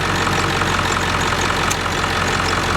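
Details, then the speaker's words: 1999 Ford F350 7.3L PowerStroke turbo diesel idling after an AC refrigerant recharge: even idle with a brief click as the compressor clutch cycles on and off, no rattle or squeal; compressor sounds healthy and blows cold. "you can clearly see the compressor is turning now kick it on kicking off it sounds healthy"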